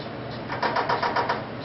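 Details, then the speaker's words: PerkinElmer Lambda 35 UV-Vis spectrometer at power-on via the green button: about five quick clicks in under a second over a quiet hiss, the normal self-setup clicking of a healthy instrument. "you know that it's um setting itself up cuz it's going to make a set of clicking"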